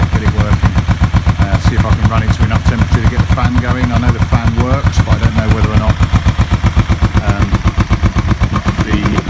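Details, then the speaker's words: Kawasaki EN450 bobber twin, vacuum-fed carbs, warming up to test the thermostat: steady even pulsing idle about four beats a second, both cylinders firing but lazy and soft, smoke looks dark; rich idle, owner suspects float height. "it looks a bit dark but it's good enough for now i'm not going to get overly concerned about it being smoky"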